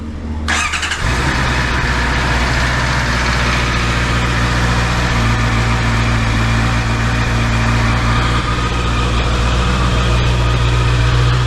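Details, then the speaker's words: Brand-new 2024 Honda CBR650R four-cylinder, 300-mile break-in oil change, started briefly after adding 3 quarts to check level and leaks: quick crank catches within a second, smooth even idle with steady pitch; starts and idles cleanly. "I'm gonna start it up now for a couple seconds, and then gonna check the level and then make sure there's no"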